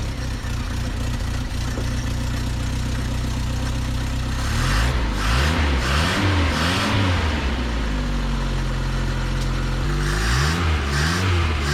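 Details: Truck last registered in 2005, after the distributor wire was bent away from the cover to stop it grounding: the engine catches and holds a steady idle, takes a few throttle blips and settles back smoothly with no misfire.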